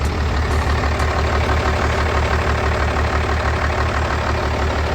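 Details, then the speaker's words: 1993 Dodge W350 first-gen diesel after reconnecting the fuel solenoid shut-off wire and the fuel pump: an even, steady diesel idle with no misses. It ran rough at first from air in the system and now idles much better and sounds good. "yeah there must been some air in the system still idle is a lot better now sounds good"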